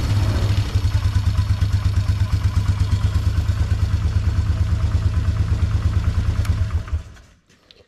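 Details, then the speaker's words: 2004 Polaris Trail Boss 330 ATV, first start after draining water from the fuel system and carburetor float bowl, on a mediocre battery with charger: even single-cylinder putter about three pulses a second, steady before shutoff; runs fine, carb may need work. "doesn't run too bad we'll have to see when we actually are able to ride it if it's if it needs any more work in that carburetor but it did seem like once it ran a little bit it started getting a little snappier"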